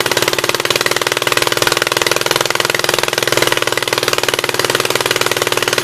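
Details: 1976 Gravely 816 twin, first run on old gas, choke manually open: sharp, evenly spaced pops about four a second with hollow gaps, firing on the right cylinder only; owner almost sure the other side's exhaust valve is stuck open.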